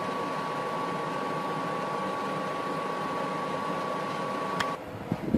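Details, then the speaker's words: DeLonghi Pinguino portable air conditioner: fan, compressor and rear exhaust all running, steady fan rush with even mid-pitched compressor hum, no rattles or squeals, ice-cold air; normal cooling-mode running. "Right now you hear the fan, you're going to hear the compressor kick on. Now that is ice cold right there. You can hear the compressor going. And then the exhaust kicks on back here, getting rid of the hot air."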